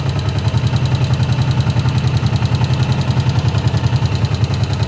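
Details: Honda CB125F single-cylinder motorcycle idling after warming up, with a steady low thump and a sharp, regular knock on top.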